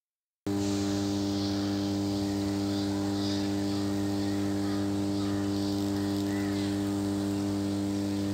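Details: Power transformer in service, energized: a constant, steady low hum with a clean buzzy edge and no crackle or rattle, the normal magnetostriction hum of the core laminations, distinct from the cooling fans' sound.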